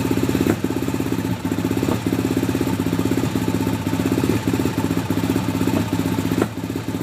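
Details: Hard-starting RZR, in park, with smoke coming from the back: rough, uneven idle with repeated dips and stumbles as it struggles to stay running; cause not known.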